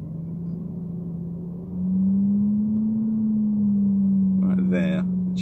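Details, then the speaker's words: Mercedes-Benz CL500, A/C off: low steady hum swells into a louder resonant boom in a certain rev range; garage suspects the noisy tandem power-steering/ABC pump, not confirmed. "and then when I get to a certain rev range this is kind of resonant frequency [Music]"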